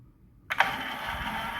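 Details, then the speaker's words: Graco 495 airless paint sprayer after control-board replacement (customer said nothing happened when switched on): potentiometer turned up, and after half a second of silence the motor starts to a steady, even hum, green light on. Healthy start. "and the motor begins to spin. You see the green light, let you know the motor is running."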